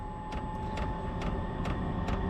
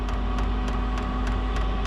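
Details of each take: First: Chinese diesel heater installed in a shed, still cold after firing off with ether assist, turned up to level 10–11 and spooling up: sharp even fuel pump ticks about 140 a minute over steady fan hum; normal start-up. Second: Chinese diesel heater in a shed, still cold after firing off with ether assist, set to level 10–11 and spooling up: crisp regular fuel pump ticks about three a second over low steady hum; normal pumping.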